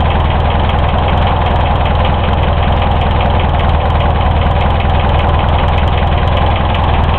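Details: Hillman Imp engine just reassembled, on one of its first starts: loud low rumbling idle with a steady heavy knock at engine speed; bearings, tappet clearances and oil level were checked OK, cause unknown.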